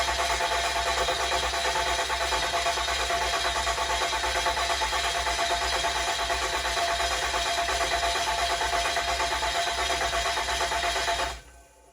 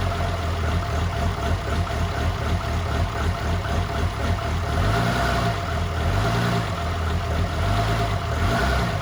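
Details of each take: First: 2007 6.7 common-rail diesel swap built for 1400 hp, first start attempt: steady starter cranking about three beats a second for eleven seconds with injectors unplugged, dry-cranking to build oil pressure; no start. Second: 2007 truck with fresh 6.7 Cummins swap, first fire, low 10.5 V battery, downpipe only: deep steady idle with slight loping chop, likely from the 14 mil, even firing; runs healthy.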